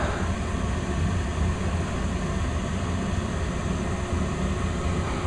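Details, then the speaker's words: Westinghouse gas furnace, indoor unit in attic, installed new, kicking on after thermostat raised to 70; steady low rumble and even airflow hum, no banging, rattles or squeals. Normal startup. "Just let y'all listen to how this thing sounds. It works really good. Does a good job at keeping the house warm in the winter time."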